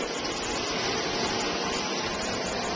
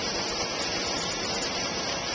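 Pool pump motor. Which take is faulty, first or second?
first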